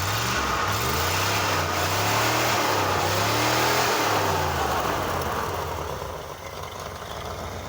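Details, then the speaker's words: '74 Dodge Charger with a swapped-in healthier 318 V8: revs up, then falters and hesitates through the mid-RPM range; stumble that cannot be tuned out, owner suspects the cheap Amazon two-barrel carburetor. "it runs a lot stronger but it has a little bit of a stumble kind of mid RPM range that I cannot tune out of it so I think it is my Cheapo Amazon two barrel carburetor"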